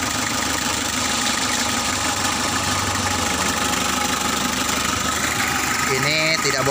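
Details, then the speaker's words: Freshly overhauled Mitsubishi L300 diesel, radiator not yet fitted so run briefly: diesel clatter settles into steady idle with no stumbling or knocks; normal idle. "giờ thì ơn trời, khởi động dễ dàng rồi, các bạn ạ, chúng ta bật chìa khóa điện, khởi động,"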